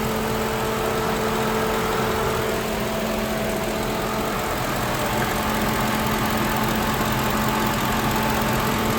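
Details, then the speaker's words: Lincoln Town Car after replacing a worn-out 19-year-old electric radiator fan motor, engine warmed up with thermostat open and temperature holding at normal: steady whooshing fan rush with faint even hum over smooth idle, fan running healthy. "It's holding right at normal. Boy, it's good to hear that fan going. Yeah, I haven't heard that for a while, guys."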